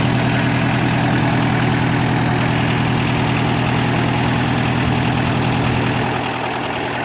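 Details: Kubota L3202DT four-wheel-drive diesel tractor, used, engine never opened up; even diesel clatter at a steady idle, smooth unbroken rhythm with no knock or miss; normal idle.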